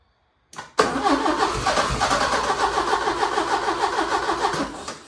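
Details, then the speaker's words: 1980 Porsche 924 Turbo after 2 gallons of 87 and a sensor removed, no fuel pump buzz heard: cranks, catches and runs roughly on uneven pulses about four seconds, then fades; owner suspects fuel starvation. "So I really think, man, I don't know if it's not getting fuel or what. I put 2 gallons of 87 in it, but I also took out this sensor right here."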